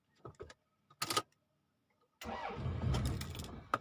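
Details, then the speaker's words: 1992 Toyota Camry after the weak battery was charged: short cranking bursts, then it catches for about a second and a half and dies; won't keep running, and the owner suspects fuel delivery or timing. "Dah boleh. Enjin dah boleh hidup. Cuma dia tak lekat je lagi."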